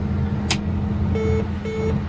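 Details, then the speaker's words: Combine separator started with the door open after repair with dealer parts, following an abrupt shutdown that left material in the head: steady low hum with short warning beeps and no grinding. Tailings moving and dust out the back, no strange noises, so the combine is fixed. "take two remember our tailings there it's going down means it's running we got dust out the back i don't hear any strange noises"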